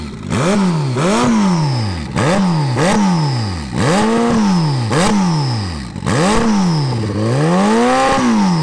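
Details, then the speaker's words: 300 hp turbo Hayabusa engine in a crosskart, on a different fuel pump than their other car: sharp uneven rev blips with stumbling and clatter, runs rough; different fuel pump suspected, not confirmed. "it doesn't run really well it's not like our pipe where we have run spots more bitter and only different is that fuel pump"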